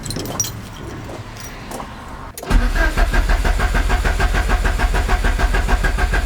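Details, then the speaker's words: Peugeot 205 GTI just after refitting the starter: the starter spins the engine with an even churning rhythm but it never fires. Crank, no start, and the owner is puzzled. "bon déjà le moteur tourne c'est déjà une bonne chose maintenant toujours garde pourquoi elle démarre pas ça c'est vraiment bizarre"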